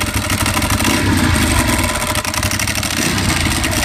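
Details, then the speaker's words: 2011 Ducati 1198 V-twin with 13,500 miles idling in neutral, no error codes: dry, constant mechanical whir and chatter over the lumpy beat; owner suspects failing bearings or timing belt pulleys, unconfirmed before a dealer visit. "i've been hearing a whirring sound kind of like a bearings going out or maybe even the timing belt pulleys are just failing"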